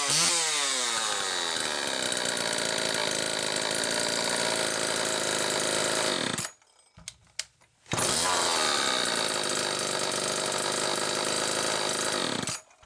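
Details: XL-2 chainsaw on test run after crankcase reseal and spark plug wire repair: high steady buzz that won't settle, cuts out, restarts equally fast; racing idle from idle speed screw turned almost all the way in, carb way out of tune from wrong circuit plate gasket.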